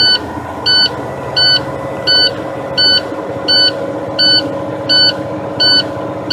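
Steady pulsing beep about 86 times a minute over a running diesel: air pressure is below the safe level, so the low-air warning buzzer is sounding.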